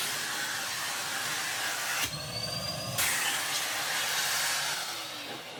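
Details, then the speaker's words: 2022 Numatic PPR370 commercial vacuum after hose blockage, likely from dried wet debris, cleared by standing on the hose: strong steady rushing airflow with brief dip, no choking or whistle; normal suction. "Oh, there we go. Hear that? It's already... pretty much cleared itself. I think that was it."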